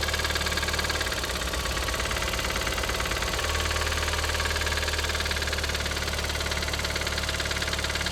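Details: Audi TT 225 hp BAM engine: fast light ticking clatter over steady idle, following engine speed; persists after replacing lifters, chain tensioner and full timing; compression 6.5, 8 and 10 bar on cylinders; source unclear.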